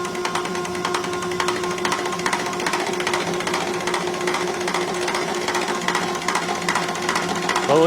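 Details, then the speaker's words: Rebuilt Roosa Master DBG rotary injection pump (DBGFCC6371DH, upgraded to 6372DH spec) for a 1968 Minneapolis Moline G900, run on the test bench after repair of leaking, shaft play and loose levers: steady drive hum with even ticking about 150/min; pumping normally. "he's pumping. That's always good."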